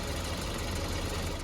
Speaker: yep you guessed it this is an exhaust leak sometimes it can just sound like a tip